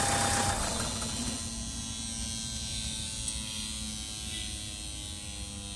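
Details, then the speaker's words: Mahindra XUV500 diesel: steady electric buzz over idle after start-up, continuing briefly even after switching off; traced to the EGR area. "इस जगह से आ रहा है ना आवाज यह पाइप निकाल के देखो एजीर का है ना"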